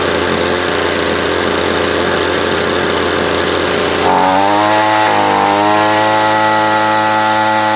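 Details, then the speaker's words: Ryobi line trimmer after repair of a no-rev fault, suspected to be a wrong fuel mix that had thrown smoke and oil out of the exhaust: rough buzzy start, then a clean, smooth, steady high rev. Normal revving; it idles slightly high. "all righty so that sounds pretty good hey I'm going to do some more adjustments on it tomorrow"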